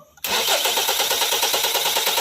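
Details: 2016 Kia Sorento: quick steady starter chatter continuing evenly with no catch or pickup; hard starting, prolonged cranking without firing.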